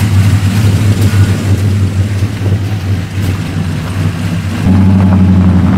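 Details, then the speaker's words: LS V8 truck on first road drive after a Yella Terra roller rocker, LS7 lifter and LS9 head gasket install: pulls up through the revs with a steady drone, no knocks or ticks under load; successful initial run. "the wires feel good so the verdict is a successful initial run no part Noli [Applause] so far so good no issues"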